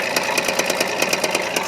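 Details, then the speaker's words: Carbureted 4WD pickup after long cold idling in about 23°F, losing oil: sharp uneven chuffing exhaust puffs about five a second at idle; one cylinder misfiring, owner suspects bent valve or head problem, unconfirmed. "There's one cylinder that's got a problem. Hear it? You can't miss that."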